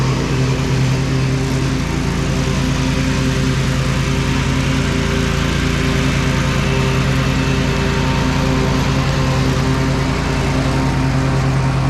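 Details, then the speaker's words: John Deere L130 riding mower after deck belt and some pulley replacement: steady single-cylinder drone with faint rough whirr from the deck, which is still a little noisy; another pulley and possibly spindles may need replacing later. "everything seemed to work fine on it the deck's still a little bit noisy but he didn't want to spend a heck of a lot on it"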